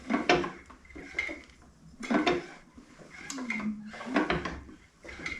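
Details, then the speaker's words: Ford Model A doodlebug homemade tractor engine, sat in woods 40 years, turned slowly by hand: heavy metallic clunk about every two seconds; loose rod first suspected, cause not yet found. "There's a clunking noise. I'll see if I can get to do it. See if I can find the spot. Right there. Hear that kind of clunking noise in there? Right there. Hear that? I thought initially it might have been a loose rod or something."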